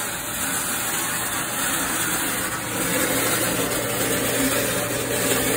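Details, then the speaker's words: Frigidaire Gallery dryer, loud and not drying well, heard with an ear at the back of the cabinet: steady, gritty metal-on-metal scraping at the rear of the drum under its rumble. The heating element has clearance, so the cause is not yet found. Drum scraping. "my ear up to the back here i got some metal on metal grinding in the rear of the drum"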